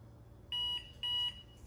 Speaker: the timer will start every 30 seconds you will hear a beep